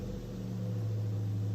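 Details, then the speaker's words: Toyota 4Runner 4th gen (2003-2009) with the UZ V8 engine: smooth, steady low hum with an even pitch and no knocks, ticks or misses, a healthy V8 running normally. "So this is going to be for the V8. I think the V8 sounds pretty good. I mean, it is a UZ engine after all."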